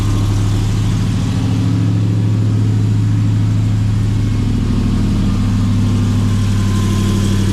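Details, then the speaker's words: RAM TRX with long-tube headers, high-flow cats, added resonators and side-exit exhaust, cold start: deep, even V8 idle rumble with no tick heard (tick is normal on these trucks); healthy. "sounds like a Ticky broken old truck but they all sound like that it's totally normal"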